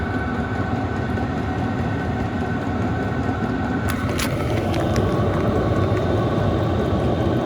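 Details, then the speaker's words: Amazon Chinese diesel heater running after finishing its starting procedure. Steady fan and burner roar with a faint whine, no sputtering. The outlet air is like a dryer vent and pushes a heavy rag aside; wattage drops once it reaches operating temperature. "So I'm trying to depict like the force of air coming out of it, and like I said, it's very similar to like a dryer vent."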